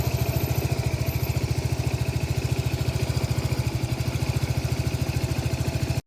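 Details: Lexmoto Nexus 125cc motorcycle idling with a rapid, slightly uneven thump that stumbles now and then, recorded close up: engine misfire.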